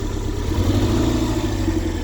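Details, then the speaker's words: 1994 Toyota MR2 Mk2 GT Turbo JDM, unused 5+ years, engine visibly shaking: loud uneven lumpy idle throb, down a cylinder, unburned fuel smell; owner suspects ignition issue; rough idle with engine shake. "Yes, we're definitely down a cylinder at the minute. You can see the engine sort of shaking."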